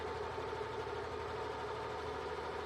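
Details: Yamaha NMAX125 scooter single-cylinder engine idling with a steady, even hum and no knocks or ticks, before valve clearance adjustment; sounds fine.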